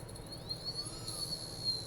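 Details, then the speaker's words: Chaos 3115 FPV brushless motor returned for a noise complaint, spinning: a high whine with faint irregular ticking, caused by a visible piece of metal debris inside the motor. "i do hear it ticking there and again what i'm going to do is i'm going to push on here because there is a piece of debris right here that i can see"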